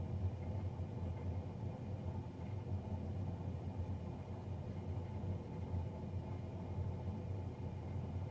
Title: Loud Fan Noise from Navien NCB-240